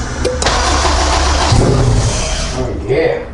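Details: Honda CB7 Accord with AWD swap, not yet tuned, after chasing leaks: brief crank, engine catches straight away and settles into a firm steady run, no misfire or knock.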